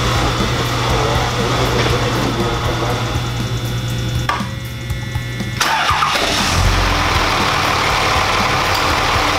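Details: Brief crank, then the 2005 Dodge Ram 2500 5.9L Cummins diesel catches and settles into a steady, even idle with no ticking or clatter; normal start and idle after valve lash adjustment.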